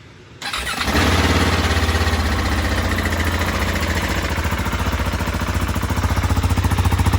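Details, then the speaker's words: 2023 KTM 690 Enduro R started right after an oil change with AMSOIL Dirt 10W-50 to cycle the oil; a quick crank, fires at once and settles into an even thumping idle with no knocks or ticks, normal. "And now we've got the oil installed, everything buttoned up. We're gonna go ahead and start it up, let the oil cycle"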